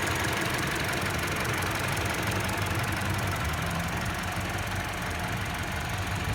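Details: Mini Cooper engine idling rough with a faint, uneven knock of about three per second over the engine note; knock cause unclear.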